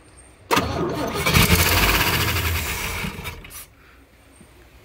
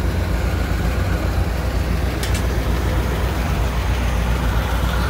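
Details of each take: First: 1959 Chevrolet Apache 3100 pickup, start attempt after over 20 years of sitting: about three seconds of steady cranking, it tries to catch and sputters but won't keep running. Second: 1959 Chevy Apache 3100 pickup V8, first run after over 20 years sitting, fuel leak noted: deep even low rumble with a steady rhythm and no misses, ticks or knocks; idles smoothly.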